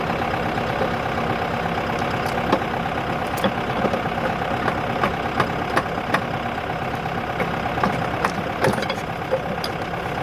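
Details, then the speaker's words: Used boat engine meant for a 1967 Mustang fastback build, idling rough with uneven sharp ticks and knocks about three a second; internal engine knock, judged junk, cause unknown. "there it goes pretty sure she's junk boys"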